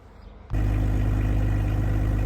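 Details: Ollie Ollerton's Pinzgauer after major repair work, ready for a test drive: half a second of quiet, then a deep, steady, even low idle thrum with no knocks or misfires; sounds healthy.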